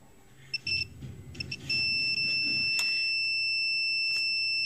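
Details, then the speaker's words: Orion R545A radio under restoration, tuning gang checked with continuity tester: steady beep holding unbroken as gang rotates, silent mid-travel, beeps again at end; tuning capacitor has a short or multiple shorts, location not yet found. "so yes this tuning gang and it's the one I said I suspected does have a short or maybe even multiple shorts"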